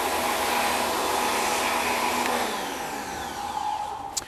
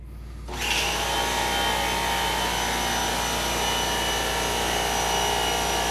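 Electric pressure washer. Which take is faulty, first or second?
first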